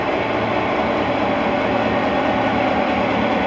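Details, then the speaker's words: EMD 16-567C two-stroke diesel in Nickel Plate Road GP9 locomotive 514, with newly installed block, at idle: loud even rumble, steady unhurried idle, no knocks or misses; normal idle. "Alright, listen to this, folks. The EMD 567 Sia idle."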